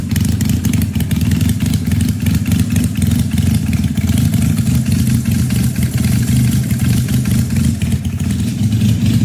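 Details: 1968 Honda CL175 twin with supercharged EFI on E85, after the injector was fixed, 34-degree garage: steady, even low thrum at cold idle, both cylinders firing cleanly with no misses or knocks; tune still to be adjusted.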